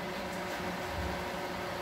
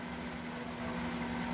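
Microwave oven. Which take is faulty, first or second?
first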